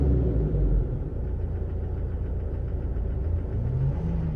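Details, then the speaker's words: 2018 Toyota Hilux diesel after injector service for code P0301 (cylinder 1 misfire): low, uneven, lumpy rough idle rather than smooth clatter just after reassembly; it later smoothed out once the relearn procedure finished. "ثواني دلوقتي نشوف الدنيا شنو انا سامعه الصوت في خشونه"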